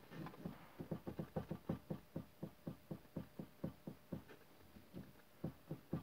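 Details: Toyota Corolla steering rack knock: dull low clunks in uneven bursts, roughly two a second, over a quiet background.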